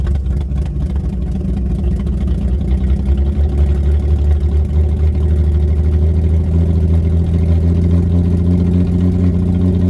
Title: Ford 300 inline 6 misfire